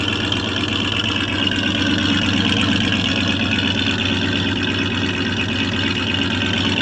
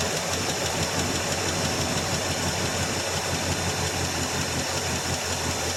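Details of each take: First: 1984 Chevrolet Suburban after about three years sitting, warming up after the initial lifter noise went away. A steady, even idle with a smooth low rumble and no ticking; normal idle. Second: 1984 Chevrolet Suburban V8 just started cold after about three years sitting: a rough idle under a hissy background with a light, quick top-end ticking. Lifter noise at first that faded as it warmed; lifter tick on cold start.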